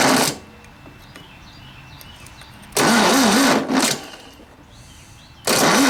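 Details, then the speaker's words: 1967 VW ragtop engine, a quart low on oil, cranked on a jumper pack to check for spark before compression test: starter turns it over evenly in short bursts but it never catches; no-start from weak spark, faulty condenser. "I said we see if we go get some spark if we get spark we're going to go see if we can dump a little fuel down that"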